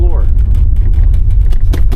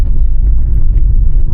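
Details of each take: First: 2026 Honda HR-V EX-L at about 4,000 miles, driving on a gravel/dirt road: a loud rattle with sharp plastic bursts over low road rumble, coming from the loose console side trim panel. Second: 2026 Honda HR-V EX-L, about 4,000 miles, on a dirt road after the two bad trim rattles were fixed with cloth tape: only steady low tyre and road rumble, no buzzing or ticking, cabin quiet.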